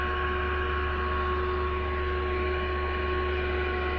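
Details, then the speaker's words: Radio switched to FM band, which also gets no medium-wave stations: only steady hum and dull hiss, no station breaking through; no FM reception, before repair. "ये हमने इसको FM band पर तब्दील कर दिया है, और अब भी इस पर कोई चैनल नहीं आ रहे हैं।"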